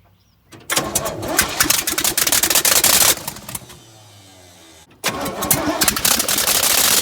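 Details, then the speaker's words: 307 small-block V8 in a 1965 C10, first start in 20+ years, no exhaust manifolds: cranks and fires, running loud and ragged with uneven popping beats, then restarts; rough running from incorrect ignition timing, later corrected. "And there was a little bit of mistakes going on, but we got it fixed. Timing wasn't right, as you can see, but we fixed that."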